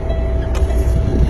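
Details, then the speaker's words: Truck air brake pre-trip, engine fired up at low air pressure after the parking valve popped at about 22 psi: idle with a steady high-pitched warning tone and repeated dings. Low air warning buzzer working. "Now we're going to fire it up. Make sure low air warning buzzer works."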